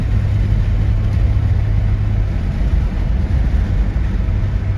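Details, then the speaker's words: 1973 Ford LTD with 460 big-block V8 accelerating at part throttle: deep, smooth rumble building evenly with no knocks or misses, plenty of torque though not overly fast. "gotta love these 460s not even full throttle not overly fast but they still have tons of torque"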